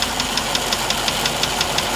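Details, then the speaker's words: 1998 GMC Savana 5.7 V8 idling with a sharp, even tick about five or six a second, loudest via screwdriver on the block below the rear of the driver's side valve cover. "1998 1998 gmc savannah with a 5.7 got a ticking noise knocking noise"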